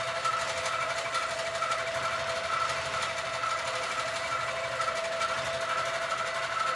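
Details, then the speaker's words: Sewing machine quilting a Christmas quilt, making a sound the owner calls not normal, cause unknown; excess bounce also noted (owner suspects something loose). Fast needle chatter with a light tick about once a second over a busy hum. Abnormal stitching noise. "One. Two, it is making a sound that my machine is making a sound that is not normal sound."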